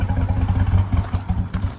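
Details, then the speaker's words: Towed-in Harley-Davidson edition Ford F-150 (supercharged) after startup: a rough, lumpy idle with uneven low thumps and clatter, stumbling irregularly and shaking badly before shutdown. Severe misfire; all eight coil packs and plugs are due for replacement. "so yeah she's shaking bad let's shut her down"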